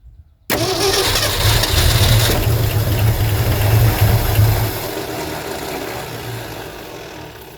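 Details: 1972 Ford F350 Custom abandoned one-owner truck, big-block V8, four-speed, after the fuel line was refitted to backfill the pump: strong even cranking with uneven catches that never pick up, then fades. Cranks but fails to start.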